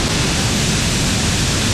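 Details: Dental office air compressor after a pressure-switch leak repair and pressure adjustment: loud, steady, even hiss and motor roar, with both heads running and pumping up normally; no knocks or surging, sounds healthy.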